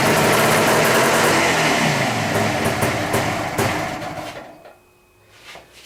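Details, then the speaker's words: Old ethanol fuel, choke on, after a long lay-up: fires raggedly, then the beat fades and dies. Bad carburettor floats make the mixture hard to set between lean and rich; owner suspected a stuck float and tapped it. "She wants to run. Problem is, trying to get those floats set right with them being bad, it's hard to get hit between lean and rich."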